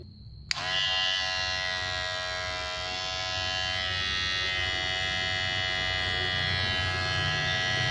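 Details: Kemei hair clipper reassembled with blade oiled and greased: steady high-pitched buzz, even tone, no rattle or clatter; runs normally with blade seated correctly.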